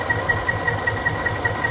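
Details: Ford 5.4 3V V8 at idle while chasing a misfire, after the cylinder 7 injector was unplugged, rotated slightly and reconnected (owner thinks it now works): even idle, soft regular pulse about five per second, faint steady high tick, no stumble or skipped beat.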